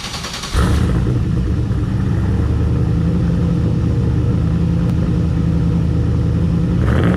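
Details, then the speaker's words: Deep, loud V8 rumble and steady heavy drone at idle from the tailpipe of a 600 hp turbo LS-parts truck, back from the tuner. This is before the new muffler install, with only a small straight-through muffler fitted. Exhaust is excessively loud. "hole lot of back pressure, but I want it to be just a little bit quieter. So we're going to weld this in there, and I'm going to take a before and after sound clip of this thing running from the back end of the tailpipe here, so we can hear the differences."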